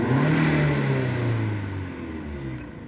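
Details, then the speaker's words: SEAT Leon Mk1 (1M) 1.8T petrol, TiAL blow-off valve refitted with original spring plus shims: revs up and holds steady clean pitch with no sag or stumble; revs no longer drop as before the fix, running normally. "Parejito, banda. Se escucha parejito, la verdad. Vamos a acelerarle. Se escucha chido. Muy chido, la verdad. Y si lo aceleramos, ya no se caen las revoluciones como hace rato."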